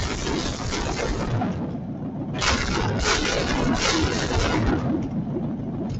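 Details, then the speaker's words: Demonstration V8 engine with no exhaust or muffler, started and throttled: very loud, harsh open-pipe roar swelling with throttle, crackling pops as exploding gasoline vents into the air; whole room vibrating. "what you're hearing is exploding gasoline in the air and if you were standing here and I and I don't know what it sounds like when you're watching this on YouTube but it's really loud this whole room is vibrating"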